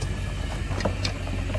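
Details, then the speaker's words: Volvo Penta 5.7GI marine V8 that would not start: cap and rotor badly corroded, but new plug wires fixed it. The clicking was likely a plug wire arcing to the block. Now fires right up and runs with an even, steady low rumble, no misfire. "It fired right up and I heard it like click click click click click like like one of the plug wires must have hitting the block instead of actually running the engine. But you see it's starting now."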